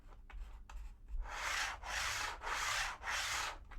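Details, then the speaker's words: TT120 model railway, track Mod Podged to cork and cork to foam, train rolled: loud roaring surges with a slightly deeper drumming note, no quieter than other glue; foam underlay amplifying track noise. "there's a slight change in Pitch uh bit more deeper note to this but it's still quite a loud quite a loud noise"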